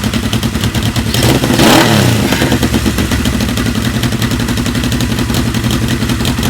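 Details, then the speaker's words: 1980 Kawasaki KZ650 motorcycle, restarted after sitting a couple of months, new regulator rectifier, freezing weather: uneven lumpy idle with irregular pops, sputtering and occasional backfiring, stumbling on the blip; owner thinks it just needs a tune. "It's running a little rough now. You can hear it sputtering and popping and backfiring a little bit, but just needs a little bit of a tune and I think we'll be good to go."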